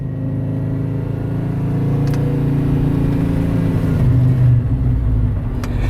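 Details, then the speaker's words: Muscle truck V8 on Holley Sniper EFI after a failed injector was repaired and retuned, cutouts open, Magnaflow exhaust, AFR not too bad: deep steady rumble swelling with a little throttle, no misses or stumbles; normal running. "Yes, sir! We finally have a working sniper. I mean, a really good working sniper."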